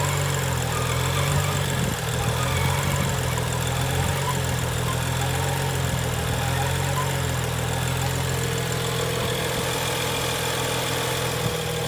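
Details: 2011 BMW N55, warm engine: uneven rough idle hunting up and down with a thin steady whine from passenger side near firewall, lingering a second or two after shutoff; steering softer, intermittent traction control light; cause unknown.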